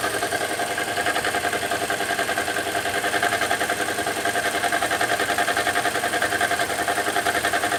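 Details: 2015 Toyota Corolla at idle: even idle with quick, regular light ticking about three per second over a faint whistle; abnormal engine noise, cause unknown.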